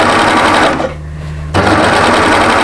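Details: Sewing machine neatening a curved edge, fabric watched on the foot; fast, even stitching chatter with a brief pause mid-run, then resuming smoothly; healthy, no knocking or catching.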